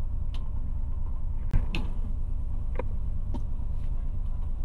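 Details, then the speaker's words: DLTB bus diesel engine during troubleshooting: raised steady high idle with irregular sharp ticks over the rumble and loud engine noise; throttle pedal unresponsive, faulty sensor suspected, mechanic fetching another sensor. "Mataas pa rin talaga yung minor niya mga kasaudrod. Kung maririnig ninyo ang ingay ng makina, oh. Taas ng minor. Oh, ingay ng makina niya."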